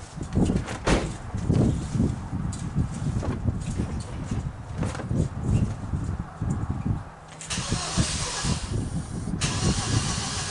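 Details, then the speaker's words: Hyundai/Kia engine with oil consumption at about 80,000, just after Berryman B12 and Liquid Moly flush treatment, plugs reinstalled: repeated slow cranking for several seconds before catching with a hiss; long-crank hard start. "Took a long time cranking to get this thing started. That's what they kind of showed you on the other video."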